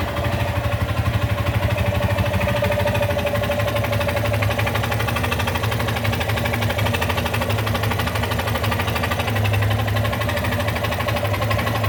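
Single-cylinder idling with a steady, busy clatter of roughly three beats a second over the exhaust; an abnormal engine noise whose cause is unclear.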